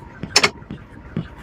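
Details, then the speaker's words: Maruti Suzuki Brezza after steering box replacement, wheel turned lock to lock with engine running: only brief tyre scuffs on the floor, earlier ticking from the rack gone; normal steering operation. "Sound ശരിക്കും കേൾക്കുകയാണ് ഇപ്പൊ okay ആയിട്ടുണ്ട് ആ steering box മാറിയപ്പോൾ തന്നെ സംഭവം എല്ലാം റെഡിയായി കുഴപ്പമൊന്നുമില്ല കണ്ടോ"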